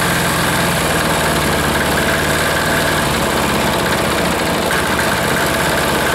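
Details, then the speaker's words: Air-cooled diesel, first start after being put back together: a loud clattery idle whose beat keeps wavering and never settles; it kicks, and the idle adjustment is slightly off, giving running problems. "ah can't find that happy little medium there sounds pretty good a lost it again"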